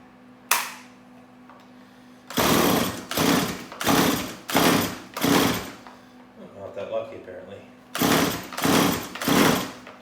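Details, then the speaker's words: Stihl MS180C chainsaw on full choke, repeated short whirring pull-cord strokes with no firing between pulls; spark plug pulled shows it probably isn't getting fuel, carburetor fault suspected, later fixed by replacing the carburetor after a rebuild kit failed. "i don't think it is um so it is probably the carburetor issue um it did kind of kick for me there"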